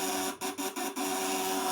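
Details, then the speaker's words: Inverter tested at 500 W load: steady, tight buzzing tone with a few brief early dropouts, then holding even and getting louder rather than dropping under high load; normal, healthy running. "jadi 500 kuatnya latin suaranya ini lebih nyaring artinya ini ketika dikasih beban tinggi dia tidak menurun suaranya Justru malah semakin kenceng kerapatan getarannya semakin rapat lilitannya"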